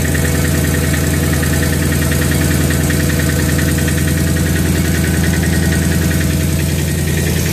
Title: Rattling sound